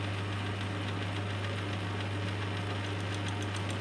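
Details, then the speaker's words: Lathe with a homemade milling jig taking a light 5-thou cut on steel angle. A steady low motor hum with a light, even cutting hiss and no chatter or squeal; running quite nicely. "It's running quite nicely. I'm only going to take 5 thou. You actually hear it rather than see it"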